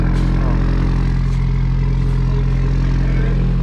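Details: 2019 Subaru WRX just restarted after walnut-blasting the intake valves for -1.00 DAM: deep, loud, even engine rumble with a steady pulse and no ticking or knocking; running smoothly.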